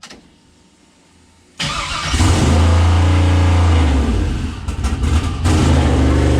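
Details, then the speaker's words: Chevrolet CUCV with a newly installed 6.0 engine on first start, idle set down from 900 to 650 rpm: the engine catches and settles into a fast, steady idle with no misses, still higher than wanted; a vacuum or air leak is suspected. "all right uh it's still idling way higher than I want it to I'll have to figure out why maybe I mean there's good possibility that's an air leak or vacuum leak or something on this thing"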